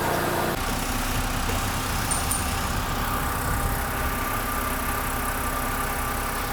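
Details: BMW E93 328i with N51/N52 engine, first start after oil pan gasket replacement and a refill of about 7 quarts of oil: steady, even idle with a smooth low hum and no knocks or misses. The engine sounds healthy.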